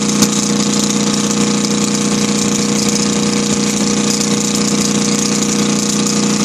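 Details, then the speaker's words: Kohler KD425-2 diesel in cold weather after leaking fuel lines were fixed: steady, even idle with a constant tone, loud, no misses or knocks, a two-cycle-like tone. Normal idle, no exhaust smoke. "Kind of hard to hear the engine talk. Yeah, some air. There's that tone I was talking about. Nice and loud, man. I love it."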